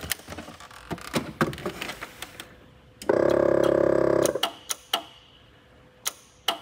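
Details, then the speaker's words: 1981 Lectra Motors Lectra 2+2 electric car (Datsun 310/Pulsar body), junkyard find unused about 20 years; controller jumpered on, 50 V supplied, throttle moved: scattered dry relay clicks and a brief electrical buzz, motor not turning; controller function uncertain. "nothing smoking let's move the throttle a little okay i'm hearing something click up"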